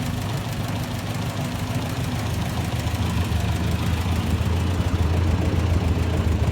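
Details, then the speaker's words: 1958 Massey Ferguson 50, 4-cylinder gas engine with new fuel bowl and filter: starts easily, low steady idle that settles and evens out with no knocks or misses; normal idle. "She starts up real nice."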